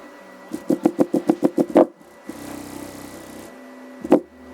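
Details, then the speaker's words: Alpine Type S 10-inch D2 subwoofer, repaired, free air, wired to 1 ohm on NVX XAD11 amplifier at about 32 watts: each bass thump carries sharp crackling, popping snaps; subwoofer distortion, likely damaged. "Whoa. Popping and snapping, crackling and popping. Yes, sir."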